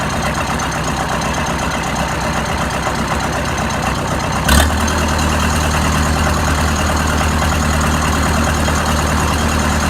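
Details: Oliver 550 tractor diesel after the new injector install, with a rigged-up radiator: a steady, even, low idle with no missing and no smoke; it runs normally.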